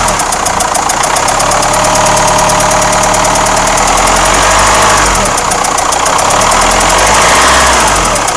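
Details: Renault Espace 4 2.2 dCi diesel at idle: loud idle with a hard, regular clatter, about three or four knocks a second; engine knock, cause unknown.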